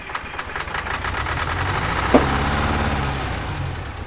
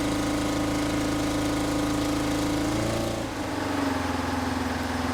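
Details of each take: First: 1970s Insley H800 excavator's Detroit diesel, freed from seizure and first started after 25+ years sitting: uneven, lumpy firing with a sharp pop midway; owner suspects a hole blown in the exhaust. Rough running, cause unconfirmed. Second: 1970s Insley H800 excavator's Detroit two-stroke diesel, freed from seizure after 25+ years sitting, started without ether: strong, even buzzing drone holding steady after a brief dip. Normal running.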